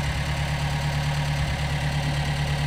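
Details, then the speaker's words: Gehl 3510 skid steer after a new throttle cable was fitted, engine not yet warmed up and probably low on hydraulic oil: steady low idle with an even rhythm and no knocks or misses; running normally. "you can't argue with that. He's running great now."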